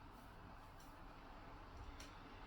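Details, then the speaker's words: Dyson AM09 Air Multiplier fan heater after a year of use, at lowest fan speed 1 in jet focus mode: a soft, even airy hiss with no rattle or tick, still somewhat noisy; fan running normally. "I think this is a bit too noisy still. I want heat. I want to use the heat, but if you're doing something quiet, like I said, watching a film, it's a bit irritating."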